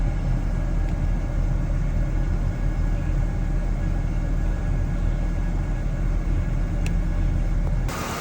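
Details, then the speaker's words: 2006 Ford F150 running after the faulty fan clutch was replaced; the A/C had been weak from high pressure, about 400 before and now near 250. Steady low engine rumble with an even fan roar and no flutter or squeal; the fan spins better. "It's spinning a lot better. My pressure is a lot better."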